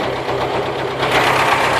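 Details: ZAZ 968 on 10W-40 G-Energy oil, warm idle: a quick, even light tapping rides over the engine note, possibly timing-gear (ГРМ) knock, though this is unconfirmed.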